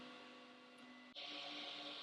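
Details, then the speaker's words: Flashforge Creator Pro 2 IDEX dual-extruder 3D printer running its calibration print with one head then the other: steady stepper-motor whir shifting pitch as the second head takes over; smooth normal printing, printer perfectly aligned. "Now it's printing one. And it's printing the other."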